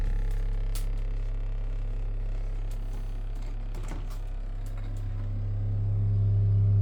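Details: 173MRB refrigerator: a strong low hum with a steady pulsing beat around three or four per second and faint creaks. Abnormal refrigerator noise, cause unclear.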